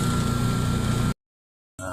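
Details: Eureka single-tub washing machine running with a steady low motor hum and faint whine, no wobble or knocking; later the drum spins weakly, capacitor or belt suspected.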